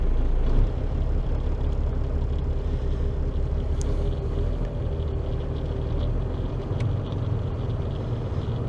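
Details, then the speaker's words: Diesel truck idling right after starting on batteries refilled with anti-oxidation fluid, 24.5 V at ignition: deep steady even rumble, no misses or knocks; normal idle. "запустилась просто отлично пока вот такой заряд"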